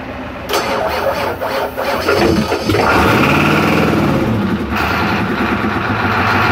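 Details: Rebuilt 7.3 IDI diesel on an engine stand, started by touching two leads firmly together: the starter grinds for a couple of seconds, then it fires and settles into a loud steady run; another truck runs nearby; normal engine start.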